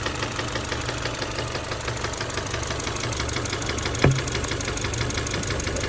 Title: EJ253 Engine Noise middle Possible Rod knock